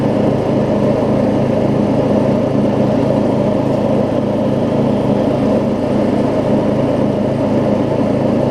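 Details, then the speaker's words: Murray rear-engine riding mower with new blade, driving with blades engaged; even steady drone, no misses, knocks or surging; runs good after earlier exhaust valve grind, though owner says he could have ground it more. "this thing still runs good you can tell it's still i probably could have grind ground down the exhaust valve a little bit more than i did in the original video but it's still plenty good"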